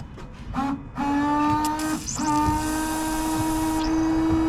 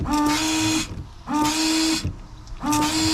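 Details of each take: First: Range Rover Sport L320 washer pump fed straight to a jet: steady electric pump whine in two bursts, level pitch; pump works but nozzle still blocked, then blown through with compressed air. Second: Range Rover Sport L320 windscreen washer after a nozzle was cleared with compressed air: three short bursts of a buzzing pump whine with a hissy spray; the pump sprays normally and one nozzle now works.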